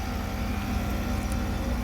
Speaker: So if I had to guess, we've got a refrigerant leak.